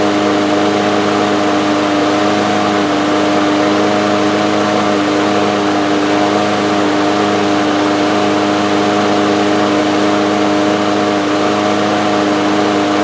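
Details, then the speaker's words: DeWalt lawn mower with Briggs & Stratton engine, 2 years old, after a new carburetor main jet, starts on first pull. A steady high-pitched buzz with no hunting shows engine overspeed. "So, the engine was running too fast. You could probably hear that"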